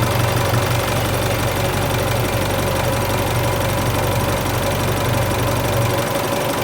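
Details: Isuzu Euro 4 diesel, first cold start after replacing A/C compressor and alternator belt tensioner pulleys and both belts (slack belts squealed on cold start): steady, even diesel clatter with no squeal or chirp; fixed, normal.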